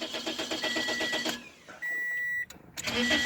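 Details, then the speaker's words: 2006 Toyota Corolla 1.8L with old key: starter cranks steadily, a chime sounds, cranks again without firing; security light stays on, immobilizer not recognizing the key. With the new key it starts right up. "It's not gonna start. So you got a crank no start condition, but because of the security, it's not recognizing the key."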